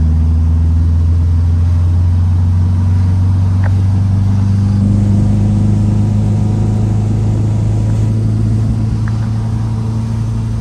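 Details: 1967 VW Type 3 Squareback, first drive around the block after engine install; smooth even engine note climbing and settling through the gears with road noise, no knocks or misses, feels more powerful than before, normal acceleration.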